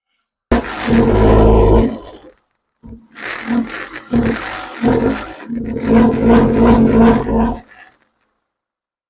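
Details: Warmed-up Nissan Altima, after the intake hose was replaced (fixing a major vacuum leak) and the computer reset: repeated throttle blips hit a flat ceiling around 2000 RPM and fall back, never climbing freely; cause unknown.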